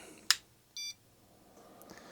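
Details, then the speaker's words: Laser XT Turbo clone PC with an XT keyboard: every keypress gives a single short high beep, the keyboard error warning; the board needed its keylock jumper fitted to unlock the keyboard. "keyboard error interesting i am not getting any love with this keyboard this is definitely an xt keyboard but everything i push just causes this thing to beep"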